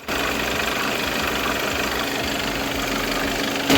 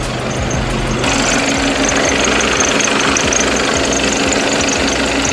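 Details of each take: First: Skoda B8 2.0 TDI EA288 (CRLB) diesel idling with its usual steady clatter, no belt squeal or chirp, after greasing the squeaky serpentine belt. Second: Skoda (B8) with a 2.0 TDI EA288 (CRLB) diesel idling, with a thin, steady high squeak from the serpentine belt over the clatter; the quick fix is greasing it.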